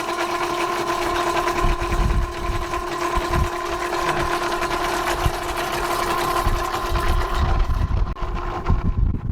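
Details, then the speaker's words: Electric oil extraction pump draining a boat generator warmed for about five minutes, sump holding about 4 liters: steady, even pump hum with gurgling slurps as it draws oil; the pump works normally. "Alright, we're pumping the oil out. This thing only holds a little over a gallon, about 4 liters of oil."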